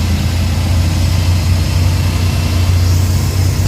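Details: Suzuki DA64/DA63/DA17 engine after repair of vibration and stalling: smooth, even idle holding steady with air conditioning running cold, no shudder or hunting.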